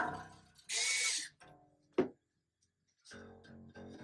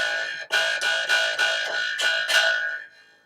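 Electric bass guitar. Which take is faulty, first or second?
second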